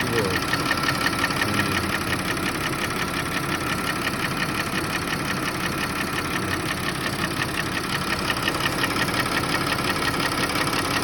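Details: Audi A6 C6 2.8 FSI V6 at idle: a regular light knock about twice a second that began a month after an oil change, present cold and hot, gone with slightly higher revs, check-engine light on; cause unknown.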